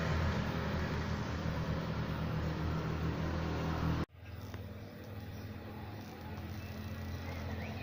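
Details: Jialing 125 cc four-stroke scooter, title citing engine knocking and a crankshaft bearing replacement, on a test ride reaching 75–80 km/h: a smooth, even engine drone with no knock in the rhythm. Normal running.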